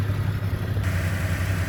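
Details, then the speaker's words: Car after rough-idle fix: idle previously about 1800 rpm now stable at 950 rpm, low steady even rumble without hunting or surging; normal idle. "Engine बिल्कुल अपनी जगह पर आ गया बिलकुल smooth soft खड़ा हो गया"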